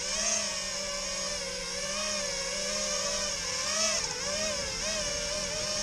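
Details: Tweaker 5" quad with KISS V1 FC, KISS 24A Race Edition ESCs, soft-mounted Rotor Riot Hypertrain 2306 2450KV motors, 5x4.2x3 props, 4S battery, stock PIDs: high buzzing motor whine with irregular warbling pitch; strange motor noise, cause unclear.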